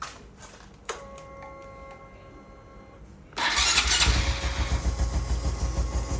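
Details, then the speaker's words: Rebuilt Honda Wave 125 FI, freshly reassembled within 24 hours with 1 litre of oil, fires into a busy idle with a light, quick ticking rattle on top; timing chain noise, chain overtight from the owner's custom modification. "Tadi tu bunyi timing chain. Timing chain tu ketat sangat sebab aku ada custom sedikit supaya dia bahagian"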